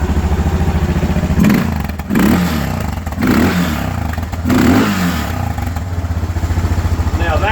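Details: Suzuki DR650 single-cylinder, first start after engine rebuild: fired almost straight away, blipped several times with pitch rising and falling cleanly, no grinding or gearbox noise heard before; runs smooth and quiet.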